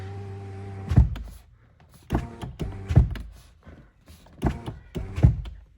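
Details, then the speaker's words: Hyundai Ioniq 6 power window, not fully automatic (switch must be held); motor runs at one speed without slowing near the top, unlike Tesla models, then glass seats with a firm thunk; normal power window operation. "And you can hear the window doesn't slow down. It just goes all the way up until it closes itself."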